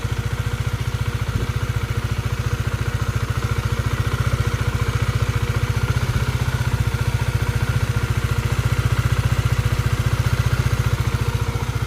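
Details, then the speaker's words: Honda CBR motorcycle engine rebuilt after oil starvation wore the camshaft and head, valve clearance set 0.18–0.19 mm: steady smooth idle, no knocks or ticks, warming up three to five minutes. "Tuh lihat motor sudah lumayanlah. Segini mah halus ya, Guys."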